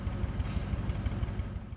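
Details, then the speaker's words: Training demonstration of an engine running rough, defined as vibration from inconsistent power production and contrasted with a miss: uneven, lumpy low idle with irregular thumps and a shaky beat. "Let's compare the sound of an engine missing with the sound of an engine running rough so you can hear the difference."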